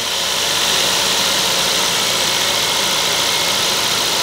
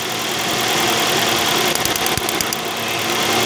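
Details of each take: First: Toyota Vios petrol engine idling steadily after replacing a failed ignition coil and spark plugs that caused a misfire; even hiss-heavy tone with no stumbles or skipped beats, misfire gone. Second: Toyota Vios at idle running rough with an irregular stumble: misfire traced to one ignition coil that does not click when tested, found by swapping coils between cylinders.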